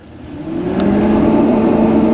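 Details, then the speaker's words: REC TEC Bullseye pellet grill, power switched on during initial setup burn, before igniter: small combustion blower spins up into a smooth steady hum; normal start-up. "and you should be able to hear the blower running."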